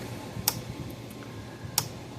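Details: Gallagher B1600 electric fence charger in a quiet room: sharp single clicks about every 1.3 seconds, but a no-load peak voltage test reads nothing; fault traced to a failed transformer winding on the output board.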